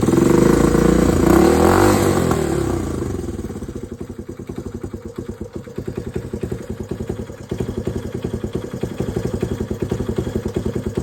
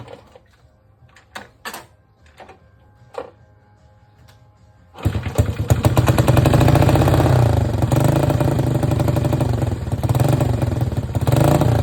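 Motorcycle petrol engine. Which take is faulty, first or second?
second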